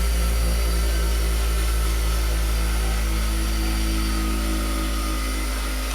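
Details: Garage-sale bench grinder, newly wall-mounted, switched on: smooth, steady motor hum with constant low drone and no knocks, rubbing or wobble; spins up and runs healthy.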